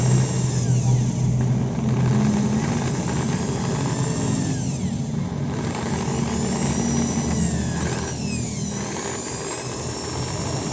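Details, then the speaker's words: Maktec 10mm drill (MT60-series) at lowest speed gives a rough, snoring growl that is absent at high speed; armature rubs a loose stator, making the body overheat; pressing the body's middle smooths the sound. "di putaran RPM rendah terdengar Suaranya ngorok ya, jelas banget suaranya kasar."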